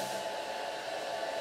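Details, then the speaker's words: Small cooling fan on an IMAX B6 charger with DIY thermistor speed control during a 1.5 A discharge; with the inlet covered, temperature rises and the fan speeds up to a steady, smooth rush, running normally. "you hear the fan is going faster and faster because the thermistor it's sensing that the temperature is going up and puts more current to the farm"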